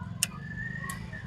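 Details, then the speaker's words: Bajaj Discover 150 with its automatic choke converted to manual via a switch, ignition on, engine off: two crisp clicks about two-thirds of a second apart as the choke solenoid pulls in and releases. It is working normally. "ये जब मैं switch को on off कर रहा हूँ उसी की आवाज़ आ रही है।"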